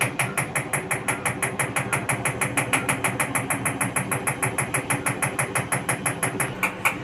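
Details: IFB Executive Plus MSC 10 kg 1400 rpm front-loading washing machine: rapid even knocking about three beats a second over mechanical hum while running; abnormal noise problem.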